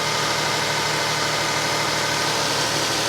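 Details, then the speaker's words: Toyota Sienna minivan at a salvage auction on a very cold day, hood open, timing belt replaced at 124,000 miles about 50,000 miles ago: steady, even hum with no knocks, misses or surging; normal idle. "look at that listen to that baby purr"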